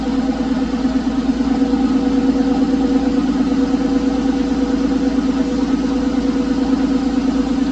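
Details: Porsche 911 996 C4S M96 flat-six idling months after earlier ticking, no repairs made; smooth even idle, steady low hum, quiet valvetrain with no ticking. Owner attributes earlier tick to a sticky lifter. Normal idle.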